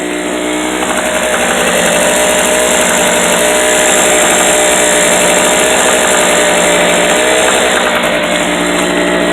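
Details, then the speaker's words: Unloaded 800/900 W portable Harbor Freight generator running a steady high buzz with a metallic rattle that comes and goes; it is an exhaust ping, not piston slap or conrod bearing play, since that would be constant. "u get them on sale, but um that rattle you hear is an exhaust ping. A lot of guys think it's uh play in the uh in the bearings on the top end or bottom end of the conrod or piston slap."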